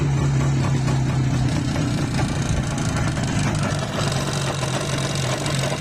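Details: IZh Jupiter 5 (350) two-stroke motorcycle idling: a ringing metallic rattle on each beat that keeps pace with the engine, described as piston knock.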